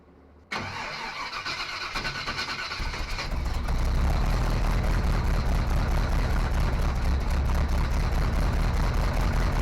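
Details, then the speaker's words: Small-block Chevy 350 V8 in a '55 Willys wagon, first run after replacing a failed new fuel pump, running off a temporary tank: catches after short crank, loud uneven idle; suspected major vacuum leak, possibly from an unplugged hole in the intake manifold. "Oh, you know what? I think we have a major vacuum leak."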